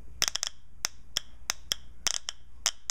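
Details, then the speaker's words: Shift solenoid from a 1992 Nissan Pathfinder transmission stuck in fail-safe mode and not shifting, bench-tested by hardwiring voltage to the valve-body solenoid pack: crisp, sharp metallic clicks each time power is applied; normal solenoid operation. "you can hear it cycle as I touch the that's what a normal solenoid in my opinion should sound like so all is good there"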